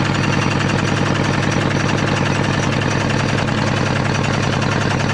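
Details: Caterpillar D8 2U pilot (pony) motor after magneto rebuild and carburetor work, sticking slide freed: chugs at a steady quick beat of about three and a half pulses per second with no misfires; running properly.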